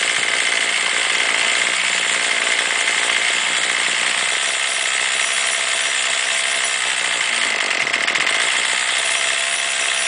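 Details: Warmed-up two-stroke weed trimmer, string out to cut line for load, screaming at high revs; pitch sags and recovers near the end as the carburetor mixture screw is turned toward the bogging point.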